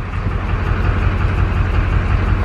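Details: LB7 Duramax diesel truck, unrun for six years, fitted with new injectors; deep idle with a lumpy, uneven beat under a steady rumble, like one cylinder dropping out, a misfire; cause suspected, not confirmed.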